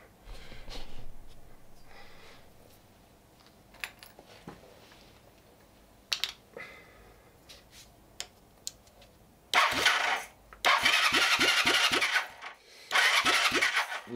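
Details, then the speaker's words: 1978 Honda CB400T, not run for a very long time, cranking on electric starter: steady bursts of even compression pulses but never fires; no spark found, cause not yet confirmed. "no spark okay too bad all right so it's becoming quite the challenge to get this bike actually running I wasn't getting any spark"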